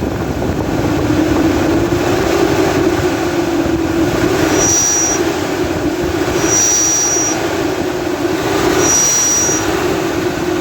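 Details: Nissan Patrol Y62 V6 accelerating: loud roar with wavering whistle and short chirps every couple of seconds, from worn viscous fan coupling, fixed by replacing it.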